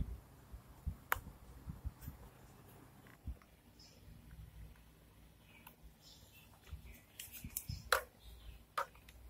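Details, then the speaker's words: Electrolux dryer noisy: handling clicks, then loud rough grinding rumble as the drum is turned, from a drum bearing visibly cracking and needing replacement. "จที่ฟังเสียงนะครับก็แน่นอนแล้วว่าลูกปืนมีปัญหาแล้วดูจากสภาพที่มองเห็นนี่ก็คือลูกปืนเนี่ยเริ่มแตกเริ่มแตกแล้วนะครับโต้องหามาเปลี่ยน"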